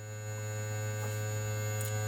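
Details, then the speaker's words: Constant low buzz with a faint high whine, unchanging, rising with gain on the Audient Evo 8 line inputs 3/4 fed from the SteelSeries Arctis Nova Pro Wireless receiver box, before a ground loop isolator is fitted; ground loop hum. "whenever I just turn up the gain you can just see the noise floor there just starts immediately because you have turned up the volume or listen rather this is the kind of noise I'm getting"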